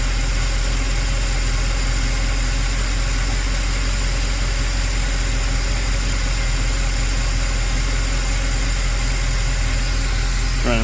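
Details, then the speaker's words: Possibly 2008 Mercedes CLK63 AMG, M156 6.3L V8, first start after new PCV, coils, injectors, valve cover gaskets and fresh oil: smooth, even low idle like a sewing machine, no startup taps or rattle, so no cam phaser issue. "a sewing machine no Taps on Startup which is nice that means there's no uh phaser cam phaser issue or rattle or anything like"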